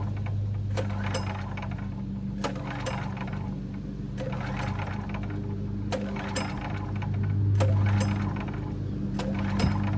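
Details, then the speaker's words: 10,000-watt (8,000 running) generator that sat outside for years in mud and weeds, with water and mud in the air cleaner box, running after cleanup; steady, even low drone at constant speed with no hunting or surging; runs great. "this thing runs great Pur like a kitten"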